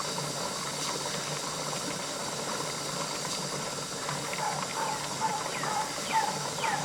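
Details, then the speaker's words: Pressure canner on an LP hotplate outdoors, coming up to 10 psi: steady steam hiss over bubbling boil, pitch shifting as pressure builds, jiggler weight starting to spit steam; normal pressurising. "you can hear a difference in the sound on the boiling as the pressure comes up too there it's venting the jiggler is starting to spit steam"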